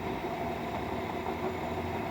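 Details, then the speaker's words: 2013 Chevrolet Silverado engine idling with a steady dry scraping rasp from the belt pulleys; owner unsure whether alternator, A/C, tensioner or water pump, plans to remove belt and spin each pulley; water pump bearing noise. "Hay un ruido como de polea. ¿Qué podrá hacer? No sé si se pueden escuchar ahí. Puede ser el alternador, puede ser esta, puede ser allá, puede ser la bomba de agua,"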